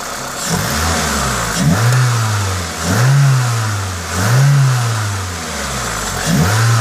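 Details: Toyota 2ZZ-GE engine revved normally in three clean blips that rise and fall smoothly; the hiss on each rev comes from an induction kit; no knocks or rattles, healthy.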